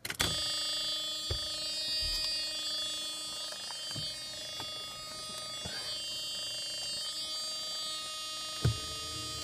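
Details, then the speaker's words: Mercedes R129, key on without cranking, will not start, known crankshaft position sensor issue and lost instrument power: faint high buzz pulsing about four times a second with scattered clicks; source unclear. "Ignition to on. Okay, it will not start now. I know it won't. Do you hear that?"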